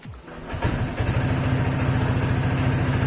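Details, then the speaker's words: Honda PCX 150 with a cheap open air filter just fitted and modified spec: the engine settles into an even, low putter with no carburetor-like intake hiss or popping; a normal, safe idle. "Nah, nggak ada suara yang namanya istilahnya suara dari kayak istilahnya karburator kebuka gitu, nggak ada ya, aman ya. Nah, jadi suaranya lebih aman."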